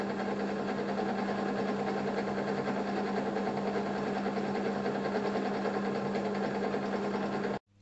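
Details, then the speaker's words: Draper pillar drill at slow belt speed after insulating the pulley cover, noise cut about 7 dB from 70 to 63–64 dB. Steady even motor hum with soft belt whirr, no knocks or rattles; runs smoothly and fairly quietly. "the changes i've made have reduced the noise by about 7 db so it's gone from 70 db down to 63 64"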